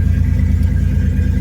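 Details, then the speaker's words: Datsun 280ZX inline-six petrol engine idling slightly high after repair of a rod-knock-like knocking, new oil pressure switch fitted (owner believes it caused the problem); smooth even hum, no knock, oil pressure good, quietest it has run. "As you can hear, Dodson's running knockless. Seems to be running really good."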